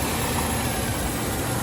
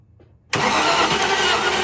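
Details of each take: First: 1995 Range Rover Classic, 4.2 V8, after replacing the ignition coil, distributor cap and rotor arm: it starts instantly without hesitation and settles into an even, rumbling idle with no misses. This fixed the earlier no-start. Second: 1995 Range Rover Classic, 4.2 V8 long wheelbase, with fuel pressure confirmed: steady fast cranking for over four seconds with no catch. No spark shows on the gap tester even at its minimum gap, so the coil is replaced next.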